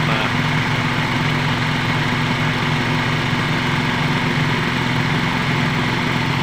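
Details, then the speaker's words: Toyota Vios G (2005, 1.5), idle-surge fault: at 96 °C the radiator fan switches on, giving a steady fan rush over a low even idle with no hunting; engine and fan normal. "ya ini 95 nah 96 biasanya aktif hidup dan sekarang ini derajatnya 96 derajat kipas aktif"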